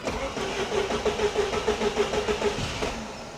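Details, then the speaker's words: 1988 Saab 900 Turbo after starter replacement: strong, even cranking at about three beats a second, brisk and powerful. "That sounds like a starter with some oomph behind it. Okay, I like that."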